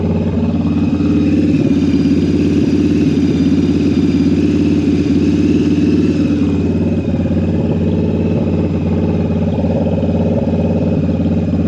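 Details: Jocker bobber V-twin with Cobra exhaust, right after carburetor synchronization: loping, even idle with a quick blip and no hunting or misfire. Carbs balanced; normal idle.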